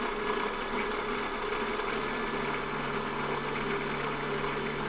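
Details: PM-728VT mill spindle motor during a Centroid Acorn CNC conversion, speed set by a control voltage (about 2.5 V at 2,300 rpm, about 5 V at 4,300 rpm): steady, even hum with no knocks or grinding; running normally.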